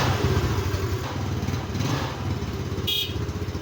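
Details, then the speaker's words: Yamaha Mio Sporty scooter, kick-started because the electric start is dead. It had sat a few days and is hard to start when cold; the carburetor was cleaned and the spark plug is okay. An even, quick putter at steady idle with no misses. "Nakailang padyak lang tayo at umandar na dahil yung p start niya hindi na talaga gumagana kaya pinadyak padyak na rin lang natin siya ayan makikita niyo umandar na siya guys"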